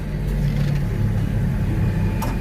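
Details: Toyota Calya used car, automatic, about 45,500 km, idling with AC on: low, even hum with no knocks or ticks, smooth and healthy idle under AC load.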